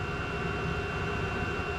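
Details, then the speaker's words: Chinese diesel heater in Alpine mode with a rag fully blocking the air inlet, after adding more gasoline to the fuel, running at 204: steady, even roar with constant hum, no surging or popping; normal steady burn. "in Alpine mode with a rag completely blocking the air Inlet listen to it even it sounds good it's a nice steady burn"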